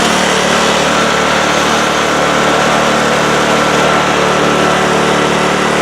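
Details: Craftsman snowblower after cleaning out a nest, lubricating drive chains and readjusting the shift handle screws: small engine holds a steady, even drone while run through all six forward speeds and both reverse speeds, no surging, grinding or slipping; normal running.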